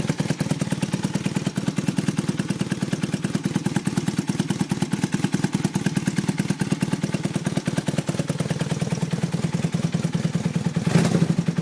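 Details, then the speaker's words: 1982 Honda 450 motorcycle, about 34,000 miles, already warmed up a bit: quick even putter holding steady at idle, no knocks or misses; normal idle. "already warmed it up a bit so but i don't want to rub it too hard it's an old bike runs good though"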